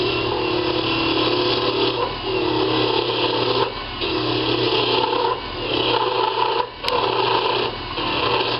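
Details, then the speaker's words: Wood lathe with the curved scraper: motor hum sags in pitch and loudness as the scraper's wide cutting area bites, then recovers; motor bogging under load. "see there you can hear me I'm bogging the engine down are the motor down pretty good and that's because there's more cutting area on there"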